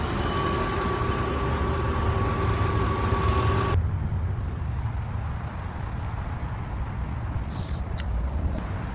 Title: Benz S500 V8 engine Misfires and O2 sensor fault.